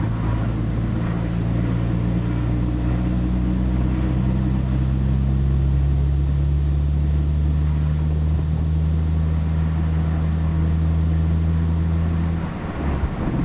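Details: Nissan Skyline GT-R BNR34 with stock Getrag manual gearbox and Nismo clutch: loose irregular rattle about three per second under steady engine drone, abnormally loud; lingers after clutch pressed, 1st and 6th rattle driving, no shifting issues, gearbox oil change didn't help, window open.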